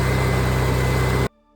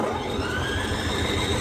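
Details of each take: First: Onan generator after new inline fuel filter installed, started cold unprimed: even, steady low hum with smooth regular beat and no misses for about a second before it stops; runs much better, normal running. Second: Onan generator engine after float bowl cleaning and new inline fuel filter fires and runs at a steady beat for several seconds, then winds down and dies; stalls after starting, owner suspects air bubble in fuel line, cause not confirmed.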